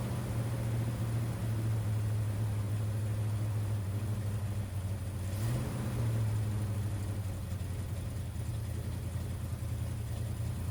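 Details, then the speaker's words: 1979 Ford F150 V8 after carburetor rebuild (floats hanging up, overflowing): low, slightly uneven idle that wavers and bumps; owner suspects ignition misfire, possibly coils not plugged fully on, unconfirmed. "it's also weird it seems like I'm having a like ignition issue like a misfire I don't know if maybe one of these coils or couple of these coils aren't plugged fully on"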